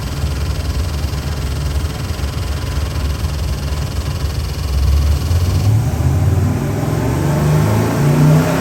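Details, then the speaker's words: Ford 7.3L Godzilla V8 crate engine (625HP package, made about 630 hp) on a dyno, BTR intake, Holley pulley system and pan with internal pump, custom grind cam, for a '51 Ford F100; deep heavy V8 roar climbing smoothly as revs build, even firing, no knocks, normal revving. "Good morning, John. I got your 51 Ford F100 engine on a dyno. Happens to be one of our 7.3 Godzilla engines. Gonna fire it up, give you a run demo."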